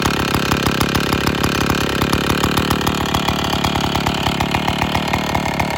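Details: IEL Pioneer HM chainsaw, old two-stroke, after complete teardown (leaking base gasket, starter dogs fixed), running before bar and chain fitted: crisp, evenly spaced firing at a steady fast idle, no stumbling or misfires; now runs great.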